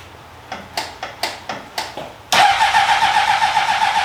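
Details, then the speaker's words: 2003 Honda CBR600RR, unstarted about 20 years, battery fully charged, little gas: about seven slow cranking bursts, then fires on starting fluid into a fast, uneven idle. No start without starting fluid. "not have enough gas to pick it up oh yeah you're right you right big brain starting fluid you're right"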